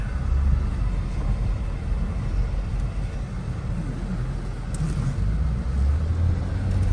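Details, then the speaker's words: 2006 Dodge Charger Hemi V8 after valve seat repair, on the road: deep, smooth V8 rumble under road noise, pulling evenly with no ticks or knocks; normal running. "v8 horsepower that's what it sounds like"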